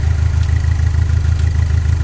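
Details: Saturn Sky, just after replacing the fan controller module to fix overheating: deep lumpy idle pulsing unevenly, running on 3 cylinders.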